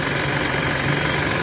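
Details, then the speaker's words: 2017 Isuzu mu-X at idle, heard at the power steering pump, steering heavy: steady high-pitched metal-on-metal whine over an even idle with faint low hum; pump is leaking/worn, rack has no leak; pump assembly to be replaced. "Yan, kung maririnig nyo, yan yung tunog nya, yung parang nagbabakal sa bakal na siya. So ibig sabihin na singaw na yung bomba nyan. So kaya matigas yung manibela."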